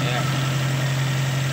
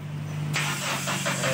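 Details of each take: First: Toyota SB engine now idling steady and even with a constant low drone, no misses or surging, after a vacuum leak from a hanging hose was fixed. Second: Toyota that won't start, run weekly, fuel filter has fuel: starter whirs steadily with rhythmic cranking pulses but the engine never catches.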